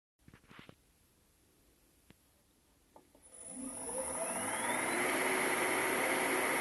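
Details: Motor after bearing replacement: a few faint clicks, then spins up with a rising hum settling into a smooth, even whir; runs cleanly.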